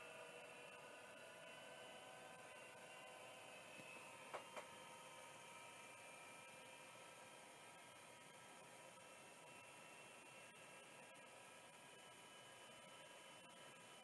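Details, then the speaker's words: Shugart SA604S hard drive with bad control board and large bodge board, known motor overspeed: faint steady high-pitched whir with thin whistling, spindle spinning far too fast; another control board to be tried. "boy that really does get going huh that's definitely way too fast yeah he's exactly right"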